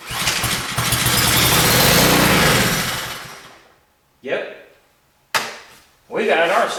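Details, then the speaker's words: Long-stored pressure washer engine with confirmed spark, bad old fuel: fires on ether, runs a few seconds, fades and dies, then only brief cranking bursts without restarting; clogged carburetor, engine itself in good shape, carb rebuild planned. "another clogged carburetor, ladies and gentlemen. So, well, at least we know what's going on with it. We know the motor's in good shape. We know it's got spark."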